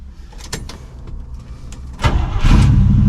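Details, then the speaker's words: Abandoned 1979 Camaro Z28 carbureted engine, first key turn after carburetor rebuild and new plugs, wires, cap and rotor, with a pump shot: brief cranking, catches cleanly and settles into a deep, steady rumble. Normal start and idle. "Just like that, y'all. Fires right up. Probably gonna sit here and idle."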